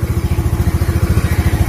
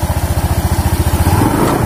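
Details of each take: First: Honda Beat scooter after a CVT pulley service that was meant to cure a crackling "kretek-kretek" noise: deep, even exhaust pulses while revving, with no crackle or rattle; drive sounds smooth, normal revving. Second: Honda Beat scooter, belt drive rotating at idle with the shaft still: repeated throttle blips about once a second, each with a faint crackle and slight wobble at the pulley; bearing ruled out, clutch pulley suspected.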